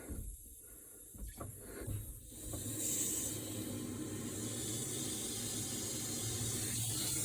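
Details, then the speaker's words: Frozen, broken outdoor faucet line converted from copper to PEX: with the main turned on, a steady hiss of water flows through the repaired line with no sputtering and no visible leaks. Normal water flow. "Okay, we hear the water going. Do not see any leaks."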